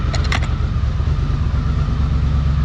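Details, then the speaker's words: 1982 Honda CX500 Turbo revived after 25 years, new fuel pump and cleaned injectors, running in garage; steady even low burble at idle, no misses or knocks, brief key jingle at start; normal idle. "It's cooking. Yes! We got a running turbo, folks."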